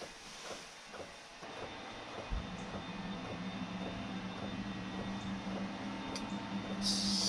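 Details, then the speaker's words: Newly installed Webasto Air Top 2000 STC gasoline heater in a ProMaster van, second start attempt; soft even ticking about twice a second over steady fan hum as the dosing pump feeds fuel, still cold air, green light, then warm air follows. "Still currently just cold air. Still got a green arrow currently. Oh, there's a fuel pump again."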